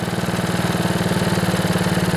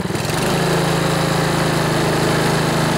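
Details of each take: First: Older Honda Harmony HRB215 lawnmower engine, cold and idling with the choke off and the air filter removed after a carburetor clean; steady, even low putter with no misses or surging. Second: Older Honda Harmony HRB215 lawnmower after carburetor cleaning, warmed up, choke off, air filter removed: revved engine picks up briefly then holds a modest speed, not reaching full governed rpm; fix is tightening the governor spring.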